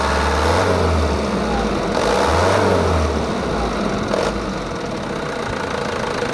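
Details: Mitsubishi Canter 110 PS diesel van, stock, after setting injection timing, nozzles and valves and raising governor rpm: steady even clatter, revs rise and fall smoothly with no harsh knock; idle a touch high, runs clean.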